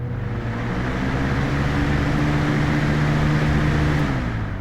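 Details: Lasko WeatherShield box fan (2017) starting up on medium speed: spins up to a steady even low hum with mild tonal whirr, no rattle or scrape; normal healthy running.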